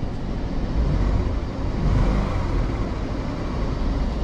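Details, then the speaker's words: 2013 Ford Expedition at auction: heavy, deep, loud exhaust rumble with no clear ticking; buyer suspects more than an exhaust leak, possibly lifters, unconfirmed. "these beautiful black leather seats make it really really nice inside of here i can't lie but that uh that loud exhaust though it's kind of creeping me out a little bit"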